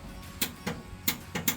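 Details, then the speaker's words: Power Wagon parked 23 years, mid engine swap, with charging and ignition systems ruined: sharp single clicks at uneven intervals with no cranking; the Ford starter solenoid is working but is not connected to the starter. "So if you hear that, that's actually the solenoid wanting For the starter. That's the Ford solenoid."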